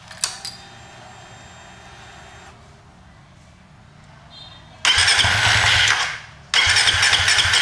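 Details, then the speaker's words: Suzuki FU FI 150 / GSX 150 fuel-injected motorcycle with the tip-over (lean angle) sensor unplugged: two bursts of harsh starter cranking about a second each, engine never catches; crank no start. "Ini kita lepas ya. Kita lepas dulu, kita nyalakan, mau enggak? Pasti enggak mau."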